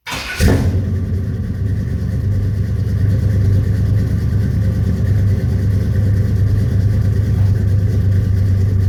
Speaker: okay let's do a cold start on this 1983 Chevy C10 with a 383 stroker in it